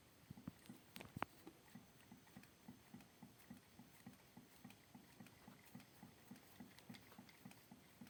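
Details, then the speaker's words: Freshly assembled crankshaft turned by hand: rotates smoothly with faint regular taps and a knock each time it stops; owner suspects play somewhere, cause unknown. "Ну только при остановке тук тук тук тук что за проблема Не знаю"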